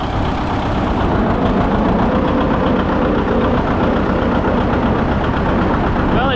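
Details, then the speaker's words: John Deere 730 two-cylinder diesel tractor, newly bought: crisp, regular two-cylinder thump with no knocks or misses. The engine is running healthy. "Just love the sound of that engine. Very crisp."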